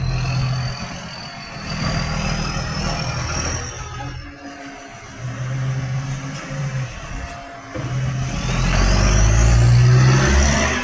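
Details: Tweed garbage truck 3218 with a massive exhaust leak: loud, raspy diesel rumble with puffing exhaust beat, plus an air-brake hiss.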